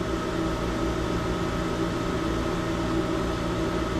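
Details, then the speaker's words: Sprinkler system jockey pump building pressure, gauge climbing past 162 toward 175 and its 180 psi cutoff: even electric hum with faint steady whine, no surging or rattling; pump motor running smoothly. "All right, I'll turn this camera back at 180 and we'll watch this pump go off together."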